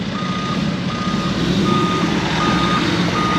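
Steady high-pitched beep about once every three-quarters of a second over a low diesel rumble; the truck's reversing alarm is working normally.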